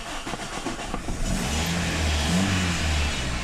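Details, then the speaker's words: Toyota Altis after a blown fuse was replaced, curing dead dash lights, a self-running fan and a no-start: short crank, then the engine catches on the first try and settles into a steady, even idle; normal start. "ครับตอนนี้รถกลับมาใช้งานปกติอ่าระบบทุกอย่างปกติครับหน้าปัดมีไฟโชว์สตาร์ททีเดียวติดนะครับ"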